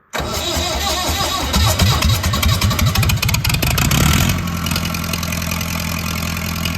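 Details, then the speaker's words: Massey Ferguson 168 diesel tractor, first start after about two months of work: brief crank, uneven chuffing, then a steady even idle; runs healthily again. "So, uh, yeah, she finally lives and breathes and runs again."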